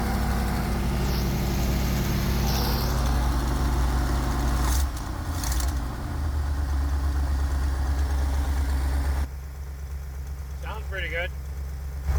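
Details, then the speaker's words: 1979 Ford E-350 Chateau RV V8 at idle after repairs and light tune: steady deep idle with faint rhythmic puffing tick; major exhaust leak at the heat tube, still to be fixed. "I got one spot I got a fix so I notice there's a major exhaust leak on the tube that heats it"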